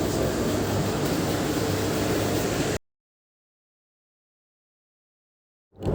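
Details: Kran separate clothes dryer after cleaning, switched on: steady, even whooshing hum from the drum with no grinding, squeal or stalling; dryer runs normally.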